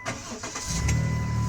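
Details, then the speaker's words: 2008 Dodge Grand Caravan with rebuilt, restored engine: brief crank, then fires and settles into a smooth, steady idle with an even low rumble; sounds healthy, no smoke. "As you can hear, it's got a great sounding motor."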